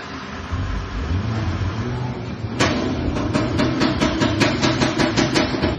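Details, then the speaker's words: Toyota AGH30 at 105k mileage, engine on with A/C on; owner complains of ketak-ketak noise and shaking fan: a sharp ticking knock repeating two to three times a second from a cracked, vibrating A/C condenser fan motor. "Owner mengadu. Bunyi tu ketak-ketak. Ngadu kipas gegar."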